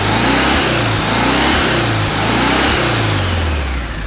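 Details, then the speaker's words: 1969 VW Beetle air-cooled flat-four after replacing wrong spark plugs with correct, gapped ones, choke partly on at first: revs up and down cleanly with no stumble, smooth and no smoke; fixed, running normally. "much better absolutely much better the first part of the choke was still on but now running nice and smooth no smoke"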